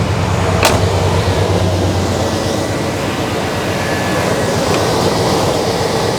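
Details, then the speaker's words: 1989 Chevy K1500 with a mechanical fan, warm idle right after fan clutch replacement: a loud, steady, even rush of air as the new clutch locks up, with its spring heated by hot air drawn through the radiator; pulling hard as it should. "it's going to take I don't know a couple minutes maybe for that spring as it's drawing air through the radiator which is hot it's heating the spring up and it's going to allow the fan to uh lock up more"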